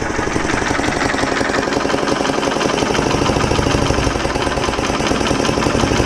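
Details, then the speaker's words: 1980 Honda XL250S running with the air filter and a mouse nest removed: fast single-cylinder chuffing at idle with a raspy puff each beat. Owner suspects an air leak at the exhaust or intake; a clogged-muffler theory proved wrong, and the true fault was bad fuel. "now sounds like an air leak or something like an exhaust"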